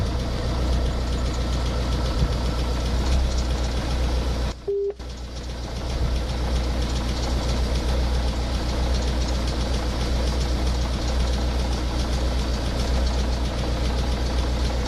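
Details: Ford Focus 1.8 TDCi 115 diesel idling: loose, uneven knock and tick over the rumble, about two a second; shaky around 1000-1100 rpm, louder after about 10 minutes of driving and more rattly when driving; diagnosed faulty high-pressure pump.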